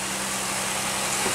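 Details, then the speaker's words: 2001 Pontiac Aztek GT after retightening three loose bolts: steady, even idle hum with some hiss and no whistle, shaking much less; a misfire code still shows. "listen it sounds good it's not even shaking as much now"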